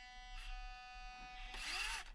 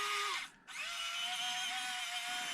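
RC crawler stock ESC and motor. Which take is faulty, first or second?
first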